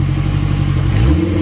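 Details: Acura RSX after fixing a stalling problem traced to wiring, MAP sensor still unplugged: strong low note at idle with a rev blip near the end, smooth and steady; starts and holds idle fine.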